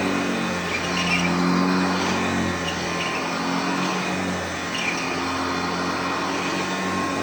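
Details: Hoover Junior (UK) / Lark (US) model 115 upright vacuum running on a newly fitted belt: steady, even motor drone throughout with no slapping, squeal or labouring; runs smoothly.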